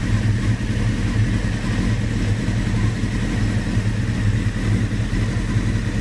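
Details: 1996 F3 with a low, lumpy idle that pulses unevenly and stumbles now and then; rough idle, cause unknown.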